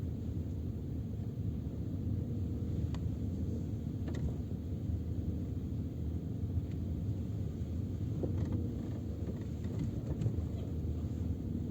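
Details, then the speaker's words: Peugeot 407, phone on rear parcel shelf, rolling slowly in first gear on the same road after wrapping the rear seatback latch loops with electrical tape: only low even road rumble, no knocks or rattles from the rear seatbacks; interior quiet after fix. "едем по той же дороге только в обратном направлении катимся на первой передаче тишина"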